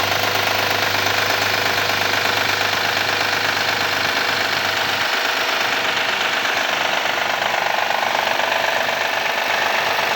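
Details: 2014 Honda Accord V6 at cold start: cold idle with a sharp knock repeating about three times a second over the engine note; cause still unknown.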